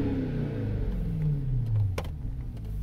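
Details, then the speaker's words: Supercharged Jaguar, revved while parked, recently fixed up; the engine blips and falls away with a whine whose pitch slides with revs, nothing abnormal underneath. Normal supercharger whine. "So yeah, supercharger whine. You'll hear that a little more as I drive it."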